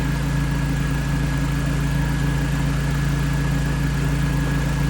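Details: 2005 Jeep Wrangler after a no-crank no-start repair, running with the old power control module bolted back up: smooth, even idle with a constant low drone, no misses, knocks or hunting, a normal idle.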